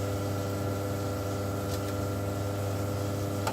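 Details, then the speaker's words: Force FX 2200 UPS back on mains line mode powering gas water heater controller; steady low hum with even overtones, no buzzing, clicking or beeps; normal operation on mains power. "see still working now it's on line mode and it's working just fine but without noise"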